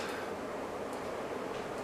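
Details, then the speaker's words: 1980s 36" SMC Laguna ceiling fan running on high (its only working speed) in forward: steady airy rush with faint uneven ticks about every half second; visibly shaking on top, wobbling and unbalanced. "Yeah. This fan's rather shaky and wobbly. It's something you can't mess around with."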